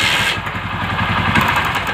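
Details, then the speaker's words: Motorcycle that stalled suddenly, carburetor already cleaned without effect: it revs unevenly with a light ticking at the end of each rev. The fault is the ignition coil leaking current and causing a misfire, not the carburetor. "ஏன்னா இது வந்து coil பிரச்சனை தான் இது. ஏன்னா இங்கேயோ current league ஆகுது."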